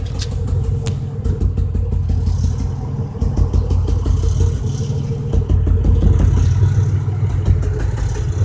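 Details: 2005 Chevrolet Impala 3800 V6 idle with uneven stumbling misfire rhythm, later code P0305; #5 spark plug, wire and injector already replaced without success, cause unknown.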